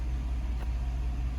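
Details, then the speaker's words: 2015 GMC Sierra 6.2 V8 after replacing a broken valve spring (suspected lifter failure): smooth, even idle with a deep steady rumble, idling down properly, no ticking or tapping from the top end. "hear it sounds nice and quiet no tipping no tapping none of that trash"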